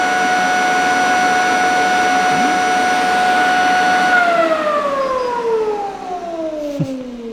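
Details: Nova Voyager DVR 58000 drill press, balance test with a penny and nickel on the table at 5500 RPM: steady high whine, then a smooth glide down as the spindle coasts; no wobble or knocking, coins stayed put, well balanced.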